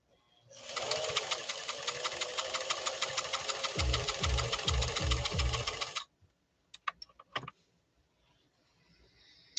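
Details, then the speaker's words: Italian-made Singer Fashion Mate Model 362, sewing a straight stitch: fast, even stitching buzz about three stitches a second with soft low thump underneath, steady; very smooth-running, healthy machine. "Really a smooth running machine too. Very, very smooth running."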